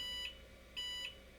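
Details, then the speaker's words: IBM PS/2 Model 30-286 powered on with Dallas RTC battery removed: two short high-pitched beeps, hard drive spins but no display; POST error, fixed when Dallas battery refitted. "oh what's going on here we're not getting anything on the screen something is wrong maybe it requires the Dallas battery"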